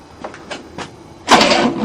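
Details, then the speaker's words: 1967 Cadillac sitting 30 years, cranking with a new starter motor on the first try: slow uneven then louder steady cranking but the engine never fires, same as before; cranks, no start. "the new starter motor, we don't even know if it works yet. First try. It's the same."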